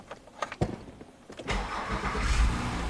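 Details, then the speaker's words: 2016 Honda Pilot 3.5 L after repair of DTC P2652 (rocker arm oil pressure switch) and the codes cleared: a short crank, then the engine catches cleanly and settles into a smooth, even idle that revs well with no misses or ticking; fixed. "so as you can hear the engine sounds great I rev the engine the engine revs great the idle sounds good"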